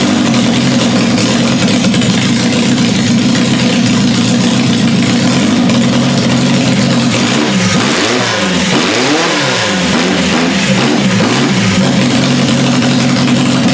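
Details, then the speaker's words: Demolition derby car, first start after fuel pump and fuel leak work: engine fires into a rough, uneven idle, pitch sagging and wandering. It doesn't sound right and then won't turn over, with oil pouring out around the filter. Possibly seized. "ready doesn't sound right well it may have just seized actually it did not sound right and now it's not turning over over"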